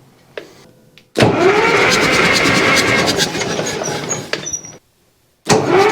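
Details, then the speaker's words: Caterpillar D4 crawler starter with a Delco 40MT/42MT-type starter, cranking with the compression release out after starter work. Fast, even cranking at about 2.5 turns per second with no dragging, faster than before; normal starter cranking. "let's try it now see compressions out right is it in gear should probably check that whoa yeah that's spinning faster"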